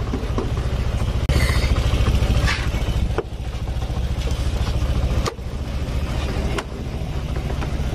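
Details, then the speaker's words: Honda Vario Techno 125 scooter, also losing radiator coolant within three days, idling unevenly: loud quick tok-tok knock with dips in the beat, attributed to unbalanced idle from low fuel pump pressure. "Nah untuk suara yang berisik tadi, tok tok tok tok tok tok tok tok, tok dari sini, ya ini kemungkinan besar dari, bukan kemungkinan besar, ini jelas pasti ya, karena ketidakseimbangan stasioner mesin, putaran mesi"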